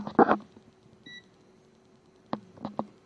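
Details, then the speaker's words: Multimeter in continuity (beep) mode on an Akai AM-A-102 amplifier under repair, before testing the 2.5 A speaker fuses: brief high beep among probe clicks; normal continuity beep. "And we go to the mode of the beeping. That is that one. And if it's normal, see, you hear the beep."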